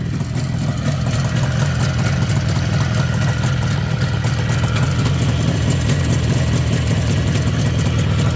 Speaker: шума коробки немає. Двіжок работає чисто.